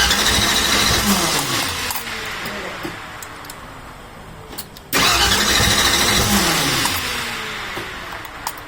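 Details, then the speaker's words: 1964 Ford Ranchero first key-turn after the build, with no fuel in the system yet: steady starter cranking at a regular chug for several seconds and it never catches; good starter, cranks but won't start. "That's alright, there's no gas in the system, but that sounds good."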